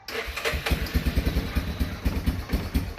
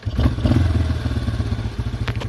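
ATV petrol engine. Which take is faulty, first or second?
second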